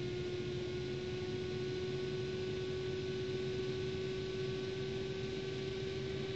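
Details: Asus GTX 560 Ti DirectCU II graphics card cooler; steady, high, pure whine over a soft constant whoosh, abnormal fan noise, cause unknown.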